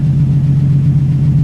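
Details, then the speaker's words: Infiniti G35 V6 (spark plug had an electrode bent by detonation, compression decent across the board): smooth, steady idle with an even low drone, no misfire, knock, tick or blow-by; healthy. "yeah I think it's it sounds really smooth now no blow-by"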